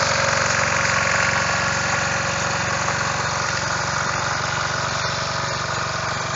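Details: Snapper riding mower with a 12.5 hp Briggs & Stratton single, found roadside after sitting for years, first fire-up in neutral: even, steady thumping about four beats a second, no misses or knocks; idling smoothly, healthy.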